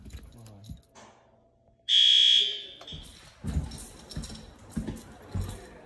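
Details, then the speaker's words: System Sensor L-series white horn on Notifier NFS320C panel in a 1958 school, during alarm testing with fans shut down; short high buzzing tone seems faint, possibly below the 65 or 55 dB requirement, not confirmed. "What's it supposed to be, 65 decibels? Or is it 55? Either way, it's pretty quiet in here,"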